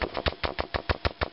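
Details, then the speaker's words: Vintage Electro-Voice SP15A 15" woofer, defective since new and now distorting, cone moved by hand: scratchy clicking and grinding about six times a second; owner suspects rubbing and a voice coil broken in half, needing a recone. "and if you even move the the the cone manually you can kind of hear a clicking and grinding type noise flapping or something going"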